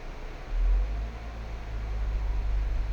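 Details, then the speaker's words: Ford Everest on a test drive after the failed aftermarket stabilizer link that caused a knocking sound was replaced: only road rumble and tyre roar, with no clunks or knocks from the rear; the suspension is normal. "Oh wala lagatok sa likod Oo mo sa akin swabe na bigla"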